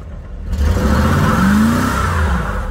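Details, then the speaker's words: 1996 F-body Camaro/Trans Am V8, previously powerless, now running strongly: engine note rises smoothly and strongly through the revs with no stumble or miss; normal acceleration with power restored. "it's got its power back not gonna do that around here but it's running really good now we could do a burnout before it had nothing"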